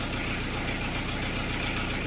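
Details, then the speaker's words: Chrysler Voyager 3 diesel just started after glow plugs, on engine flush with poor oil: faint light tick about three to four a second over the clatter; mild hydraulic lifter tapping, much reduced from before. "Честно сказать, это уже не стук почти. Ну, слышно, что стучит гидрокомпенсатор."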